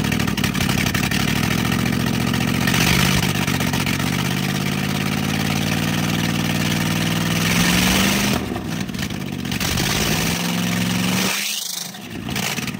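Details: 1970 Dodge D300 wrecker V8, long-sitting, one exhaust manifold missing: loud, raw catch, uneven revving with an open blatting exhaust note, dipping near stall.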